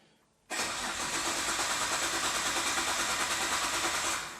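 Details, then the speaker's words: Nissan R32 GT-R of unknown history, fuel pump audibly running but sounding poor: starter spins the engine evenly, about three compression pulses a second, never fires; fuel pump found getting only 5 volts, wiring faults suspected; crank no start. "The engine sounds good. Yeah, it even though it's not starting, it sounds good."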